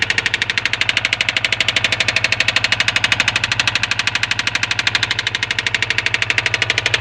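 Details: 2003 Subaru WRX petrol engine running with rapid, even metallic engine knocking, several sharp raps every second.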